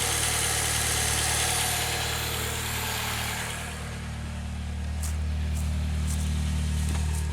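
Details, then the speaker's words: 2006 Saab 9-3 on ramps before an oil change, just started, no oil pressure light: smooth, steady low idle with an even pulse and no ticking, knocking or hunting; healthy idle. "okay no oil pressure light so that's good the low beam failure disappeared so once i started it sounds good to me"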